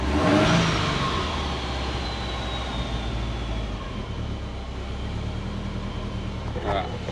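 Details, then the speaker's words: Subaru Forester on Haltech ECU, idle fixed after TPS misreading 22% caused rich running; timing reduced to 15° in idle cells, idling near 1100 rpm; engine blips up cleanly and settles smoothly without stumble; revs healthy. "But, um, yeah, it revs up good. Yeah. All right, sounds better."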